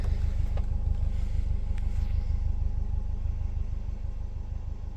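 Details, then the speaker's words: Subaru Forester with a modified exhaust and a low, even engine knock at idle about three beats a second; check engine light and a knock sensor code are present, source not yet identified. "This is the Subaru Forester. You hear the engine inside. You hear that knocking on the motor at idle."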